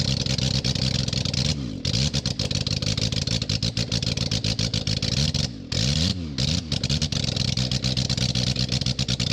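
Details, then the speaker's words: 1991 BMW K100 LT, 987 cc fuel-injected four-cylinder, sat outside ten years, first start after head cleaning and reassembly, muffler and radiator off: raw, very loud open exhaust rising and falling with throttle blips, firing smooth and even; healthy, just unsilenced. "muffler has to go back on it's really loud it's kind of cool though it's too loud"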